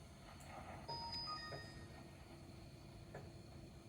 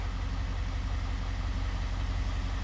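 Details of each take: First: 2024 Ford F-250 Super Duty 6.7L diesel, fuel filter change: priming the lift pump with the key, fifth cycle; steady electric pump hum with irregular ticks and pops as trapped air still sputters through the fuel filter. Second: 2024 Ford F-250 Super Duty 6.7 L diesel, first start after an oil and fuel filter change, run briefly: deep, steady rumble with an even beat and no knocks or rattles, so the idle is normal.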